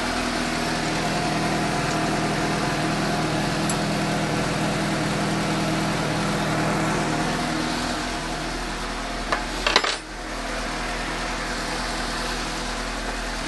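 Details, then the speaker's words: 2015 Suzuki GSX-S750 idling after new OEM NGK CR9EIA-9 iridium plugs at the 7,500-mile interval: a steady, even idle with a smooth, crisp beat and no misses or rattles. Noticeably smoother than before. "I'm do a quick spin see if it starts even though I'm good oh there really does sound smoother I like it"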